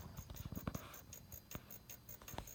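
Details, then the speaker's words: Magnum MS2012 inverter on a 400 Ah 12 V lithium bank, at no load; it shows no fault codes but gives low AC output. A quick, even "dit dit dit" ticking pulse repeats about five a second. The owner is unsure whether it's normal; cause unknown. "it's like dit dit dit dit dit dit dit so I'm not sure if that's normal or not"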